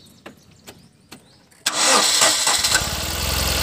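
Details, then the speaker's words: 2012 Tata Nano petrol, which had misfiring, jerking and a check-engine light, starts cleanly after a few clicks and brief cranking, idling steadily after the faulty plug wire was replaced. "ये देखिए friends, गाड़ी okay चालू हो रहा है।"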